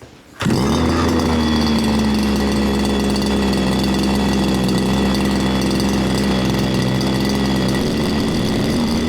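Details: Baja 5th-scale RC small two-stroke engine (engine no. 2 of seven from Australia, age unknown), after repair with exhaust fitted, during tuning: fires up and holds a smooth, even buzzing tick-over with steady pitch and no misses; normal idle.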